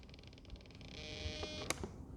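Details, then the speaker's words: Top RC Lightning V2 1.5m sailplane on the bench, stabilizer off, during mechanical trim: thin mosquito-like buzz as digital servos strain to hold position while surfaces move; normal digital servo noise. "These are digital servos. That's why they're so noisy. You hear it fighting to get back into position."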